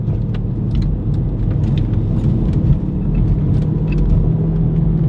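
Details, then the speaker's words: Volvo V50 T5 on the road: low hum and rumble with a steady droning tone, suspected passenger-side wheel bearing, louder under load in left turns and now also heard driving straight. Cause suspected, not confirmed. "so even when you're going straight it's making the bearing noise yesterday it wasn't making the bearing noise at all when I was going straight"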